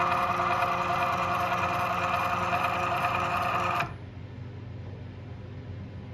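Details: CNC milling machine X-axis feed in MDI, G01 F25 X-5, while testing backlash compensation after mechanical and control adjustments: steady, even motor and drive hum with no clunks or stutter, then a clean stop; smooth axis feed, only slight overshoot at zero.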